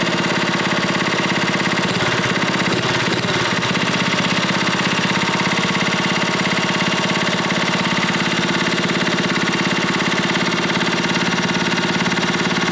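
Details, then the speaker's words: Briggs & Stratton Model 14 6HP flathead side-shaft single cylinder: fast steady chatter at idle with a faint light knock on each firing pulse, slight rod knock. It smokes a lot; a new rod and possibly a piston are planned. "well guys seem like it's a pretty good running engine just wanted to rebuild it of course it's smoking a lot it's not like a rod knocking to a little bit"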